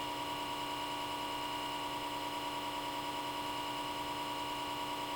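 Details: Comcast Xfinity X1 DVR cable box from power-on boot: small-diameter left-side fan spins up and runs at high speed constantly, even with the box turned off, stopping only when unplugged; steady high-pitched buzzing whine, constant cooling fan whine.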